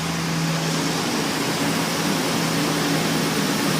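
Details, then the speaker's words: 2009 Dodge Ram idling steadily with a low drone and airy hiss after exhaust manifold bolt replacement; the earlier exhaust tick is gone, and the manifold was not cracked. "the ticking sound is all gone yay"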